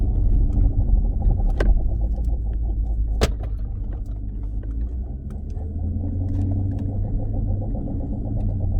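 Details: 2016 Dodge Challenger Scat Pack while driving: low steady rumble droning under road noise, shifting with speed; worn driveshaft carrier bearing, fix is dropping exhaust and driveline to replace the dealer-only bearing.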